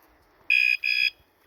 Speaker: Has an alarm on it. So, if you hit this, it turns the alarm on. And if you move the bike,